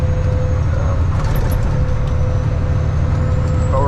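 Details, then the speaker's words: Loaded hauling truck under load: a steady, mid-pitched bad transmission whine over the deep drone, and the gearbox is trying to kick out of gear. Manual transmission whine. "Transmissions I don't know if you guys can hear it through the camera or not but transmission has a bad wine to it um it's trying to kick out of gear"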